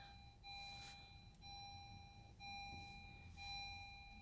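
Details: 2016 Honda Civic EX, push-button start: instrument cluster lights up but engine won't crank; repeating high chime about once a second, no starter sound; electrical diagnosis traced it to a faulty neutral safety switch, replaced.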